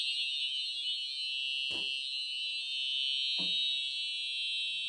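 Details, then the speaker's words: Simplex 4004 panel fire alarm system with Simplex TrueAlert 4903-9425 horn/strobes, coded to continuous, indoors: very loud steady high-pitched horn without a break, two brief clicks; whole system in continuous alarm. "And as you can hear, that is extremely loud."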